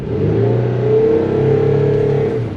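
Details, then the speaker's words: 2004 Toyota Sienna driving: a steady low droning growl under road noise, a grinding that sounds almost like a helicopter. It was checked as brakes or wheel bearings and found to be a worn wheel bearing. "not sure if you guys can hear that but i can hear grind grinding almost sounds like a helicopter"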